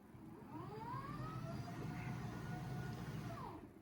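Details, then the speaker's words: VIVO DESK-EV00B electric standing desk frame, powered up for the first time while flipped over: a soft, low motor hum rising smoothly for about three seconds; the lift motor runs quietly and evenly, as normal. "that noise is not objectionable at all. It's actually a pretty quiet motor."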